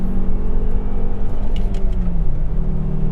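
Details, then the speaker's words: Volvo V70R, all-wheel drive, turbocharged, test drive with boost after system bleeding: deep engine note climbs smoothly through a full-throttle second and third gear pull, dips at the shift, no misfire or smoke; healthy. "that was a full second and third gear pull pretty much and that was okay it felt pretty good"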